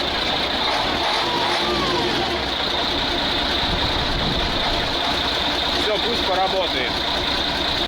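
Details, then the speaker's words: Praga V3S diesel truck after drowning, with its oil changed and the chamber filled with diesel: steady running with an even beat and no knocks or misses, responding well to the throttle again. "Aha, it works. Hooray! Do you hear that, Lyosha? After drowning, it started responding well to the gas. Look, like a real diesel car."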